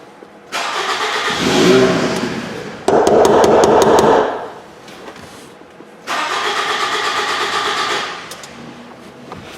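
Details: 2007 Toyota Camry towed in after quitting while driving, battery on a charger: repeated bursts of steady starter cranking with no catch and no firing; crank, no start.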